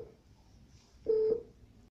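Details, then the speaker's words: Technosat T888 satellite decoder with no cable connected to the LNB input (39% intensity, 5% quality): a single low, steady beep about a third of a second long in a quiet room. This is the no-signal warning. "so this beep means that there is no signal and you can also see that the signal intensity is that 39% and quality is 5%"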